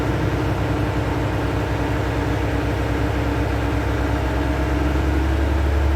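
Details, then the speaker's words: Volvo truck after air dryer leak repair, started up at idle: steady low diesel throb, even firing, no escaping-air hiss; air system charging normally toward green. "Air out ஆகணும். ஆயிடுச்சுன்னா நம்ம பார்த்த வேலை ஓகேன்னு அர்த்தம். அதே மாதிரி பச்சைக்கு ஃபுல்லாக போகணும்."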